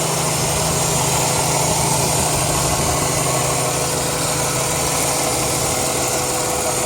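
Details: 2002 Chrysler 300M at idle: a loud constant hiss over the engine from a vacuum leak at a failed intake manifold gasket.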